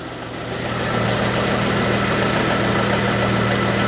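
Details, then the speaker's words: 1999 Daewoo Matiz M100 barn find, jump-started on a cold February day: small three-cylinder settles into a steady, even idle with clean regular beat, no knocks, oil pressure present; normal idle. "Yeah, I can hear the fuel pump doing things. There's oil pressure. Sweet as a nut. Sweet as a nut."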